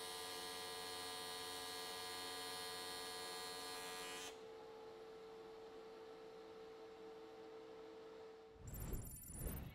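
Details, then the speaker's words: AC TIG welding at lower-than-normal AC frequency: steady buzzing tone with many high overtones as the machine audibly cycles, then arc cuts out; normal, though it feels like an earthing problem. "but there's like, you can hear the machine cycling, and I know it's just because we're on a lower frequency than normal."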